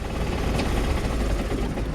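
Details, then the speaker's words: 1968 Jeep CJ5 with original V6, rough, lumpy, stumbling idle with no steady rhythm after starting; owner suspects a gunked-up carburetor. Project Jeep. "Oh, if I turn the key on, it might run. Carburetor sounds like it's gunked up."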